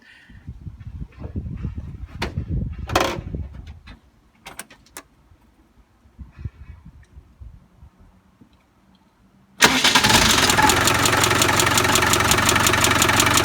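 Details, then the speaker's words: Land Rover Defender reconditioned 300Tdi diesel, cold start; fast even metallic clatter over idle that fades after a while, oil light goes off before clatter stops; owner asks whether oil pump is bad, cause unknown. "Okay, so this is starting up from cold. You should be able to hear the clatter, and which goes off after a bit."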